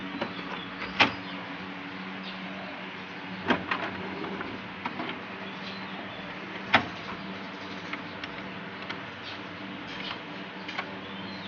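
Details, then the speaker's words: HP Ink Advantage 3835 printer after belt refit: steady mechanical hum and occasional clicks, carriage moves smoothly, belt no longer slipping; earlier it worked but was noisy. "ฮะโอเคครับไม่มีเสียงฟรีของสายพานแล้วนะครับโอเคน่าจะได้แล้วแหละ"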